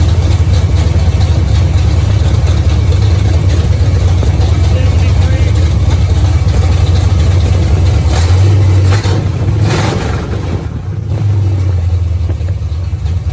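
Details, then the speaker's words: 1973 Camaro barn find being revived: even low V8 burble at idle with a brief throttle blip and no tapping or misfire; carburetor leaks fixed, small transmission cooler line leak, running decently. "Sounds like it was running pretty decent."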